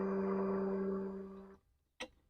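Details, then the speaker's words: TVS Ntorq BS6 scooter with starting problem, mic placed near fuel pump; at key-on a steady low hum for about a second and a half then a click, fuel pump priming normally. "इससे यह आवाज आ रही है। इसका मतलब है कि हमारा फ्यूल पंप ठीक है।"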